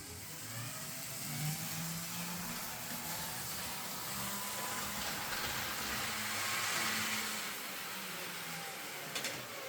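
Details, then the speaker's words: 20-year-old Hornby R.398 Flying Scotsman model locomotive motor during repair: thin high whine with uneven gear chatter about three times a second, sounding labored and stressed; owner suspects worn gears. "so it's running but uh it doesn't sound right to me I think the motor is still under a bit of stress"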